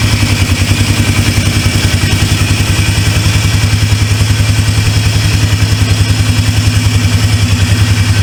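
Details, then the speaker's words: Polaris Trail Boss 330 single-cylinder ATV, sat a couple of years, unknown hours: firm, regular thumping about two and a half beats a second, no clatter or misses; idles healthily after revival. "this thing sounds good I don't even know how many hours is on it but by the looks of it it ain't it ain't been dogged out"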